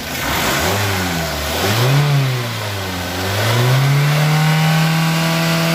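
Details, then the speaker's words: 2012 Toyota Avanza Veloz after repair of damaged connecting-rod bearings caused by poor-quality oil, fresh oil change: smooth even idle and clean revs, no knocking, running normally, full engine overhaul avoided. "Oke, Lur, suaranya sudah kembali normal, halus, layaknya mobil yang masih muda, dan biayanya cukup lumayan menghemat."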